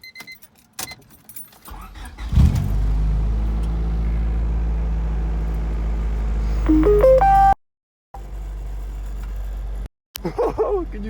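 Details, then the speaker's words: 1997 Honda Civic D16 idling right after start on newly installed Yonaka solid-filled motor mounts; heavy droning low buzz, engine vibrating far harder than on the old mounts. "I wish which I can see or hear like this thing is vibrating like crazy"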